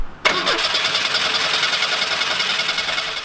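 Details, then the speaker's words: 1985 Pontiac Fiero 2M4 after engine reinstall, MAP sensor unplugged and fuel present: starter cranks steadily about three seconds but the engine never fires, with no spark at the plugs; ignition control module suspected. "there's fuel coming out and I know that map sensor is unplugged but that shouldn't make it not start just not run properly what's happening is that there's no spark classic I wasn't getting any spark at the plugs"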